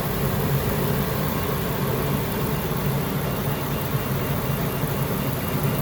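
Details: Workhorse chassis 8.1 Vortec V8 after installing an AC compressor bypass with shorter belt and new idler pulley: settles into steady, even idle with no squeal, chirp or rattle from the belt drive; running normally.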